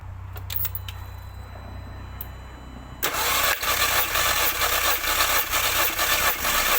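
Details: MK2 Audi TT with cylinder 1 misfire (P0301), compression test cranking with fuel pump relay removed: steady cranking with even, regular pulses about two per second; equal compression, all four cylinders reading about 100 against roughly 150 thought to be expected.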